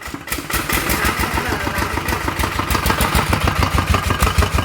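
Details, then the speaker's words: Thai ET 110 single-cylinder diesel at full throttle with white smoke: heavy hard metallic knocking about three times a second; suspected piston knock, possibly a broken connecting rod or melted crankshaft bearing. ">>มันเสียงเหมือนลูกสูบโจรหัว"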